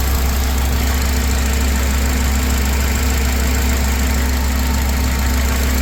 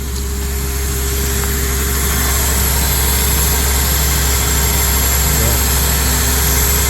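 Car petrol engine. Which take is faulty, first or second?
second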